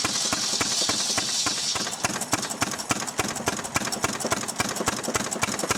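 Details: Restored 6 hp Fairbanks Morse Model Z stationary engine running on kerosene, driving a buzzsaw cutting firewood: even, steady firing beats three or four a second with crisp exhaust bark; normal, healthy running under load.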